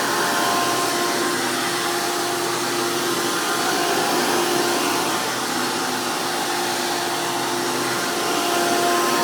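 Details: 2002 Hoover PowerMax II U5246-940 upright vacuum with 12 amp Elite motor, the noisiest Elite motor, after motor work: loud, steady high-speed roar with a faint even whistle, no rattle or surging; normal healthy running.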